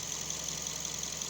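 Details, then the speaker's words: Mazda 3 1.6 idling; despite a voltage drop, the engine sounds quite even and stable, soft hum under hiss, air filter clean; normal idle. "El motor se escucha bastante parejo, bastante estable."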